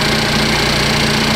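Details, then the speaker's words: 2015 Cadillac ATS 2.5L GDI RWD, first start of a junkyard replacement engine, cold, AC on: smooth steady idle with a light, fast, even ticking, which is normal injector noise. Runs smoothly. "This one sounds good. You can hear all the injectors, so if it's picking up some abnormal, ticking sounds. That's all I hear. I hear the injectors. The engine seems to run really smooth."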